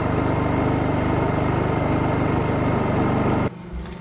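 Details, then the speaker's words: Honda EU2000i generator after fixing a rough, lopey idle by fitting a missing carburetor O-ring, with new filters: small engine holds an even, quick idle with no hunting or surging, then shuts off. "Anyway, as you can hear that generator out there, it's idling good now. It's got a nice, consistent, steady idle, and it was definitely the O-ring that was the issue."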